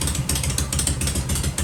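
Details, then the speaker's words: Shovelhead big twin at idle, with the pipes covered to listen: a loping, uneven potato beat with no ticking or rattling, very quiet and healthy. "holy C she's just as quiet as can be right ain't that something wow sounds good"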